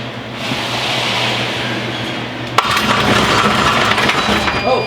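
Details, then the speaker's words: Wrecked salvage Porsche Cayman, first start attempt in neutral with clutch in: harsh grinding while cranking, a sharp bang, then louder rattling grind. A cracked subframe is suspected. "oo what was that sound like the engine like thats horrible cuz our subframe is cracked maybe that's why"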